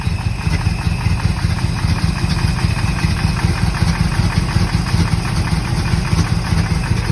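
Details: 1964 Corvette V8 run on a jump box, fuel leaking from the carburetor, likely the accelerator pump, and very old gas: uneven, lumpy idle with irregular low thumps; running rough, likely has spark but won't start on key.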